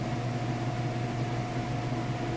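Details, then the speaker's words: Whirlpool top-load washer in its final spin cycle at top speed with a heavy load: a steady, even low roar with no knocks or scraping. Normal spin. "Alright guys, and we've moved now into the final spin cycle. Spinning nice and fast, doing sounded like a little bit of a rinse there."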